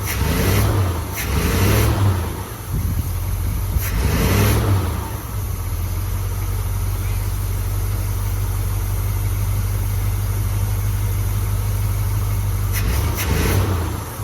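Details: Cheap Custom Deluxe squarebody pickup, cold, V8: a deep, steady rumble with a couple of clean throttle blips, settling to an even idle with no misses or shaking. It runs smoothly.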